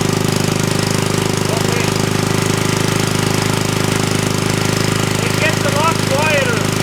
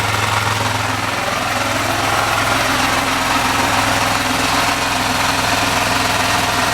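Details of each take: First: Hollingsworth air compressor small engine with only a small muffler under the cooling shrouds, before an extra muffler was fitted, restarted after flooding: rapid, regular, loud sharp exhaust popping: loud exhaust from an inadequate muffler. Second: Small engine on a Hollingsworth air compressor, after fitting an added external muffler; steady idle with softer exhaust and normal mechanical clatter, no longer aggressive; normal idle.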